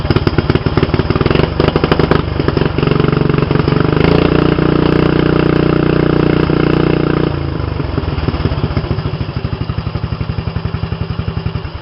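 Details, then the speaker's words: Mini bike with homemade exhaust, noise test before adding the multi-chamber muffler: sharp, rapid popping that rises with throttle and settles back, very loud and raw, audible two blocks away. Loud, essentially unmuffled exhaust. "i'm going to try to quiet it down it's too loud you could hear two blocks away"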